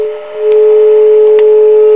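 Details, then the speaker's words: Circa-1949 Precision E-200-C RF signal generator after restoring the original carbon-composition resistor: clean steady tone around 400 Hz with a fainter overtone; the internal audio modulation, previously nearly dead, now comes through properly. "okay it seems that replacing those resistors with uh the original carbon composition type helped tremendously as you can hear we're getting modulation now that we were not getting"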